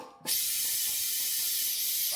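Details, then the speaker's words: Tire changer, inflating newly mounted tire: loud steady hiss of air escaping past bead not seated on rim, so tire won't fill; tire must be moved and adjusted while inflating until bead seats. "You can hear that air is deflecting from here. There's no way to fill up the air."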